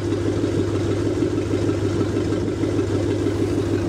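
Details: Rebuilt Lincoln 368 Y-Block V8 on an engine run stand, not yet at operating temperature, 70 psi oil pressure, oil temp still at rest, just above 1000 rpm: steady, even idle with a smooth low rumble and no ticking or knocking; normal idle.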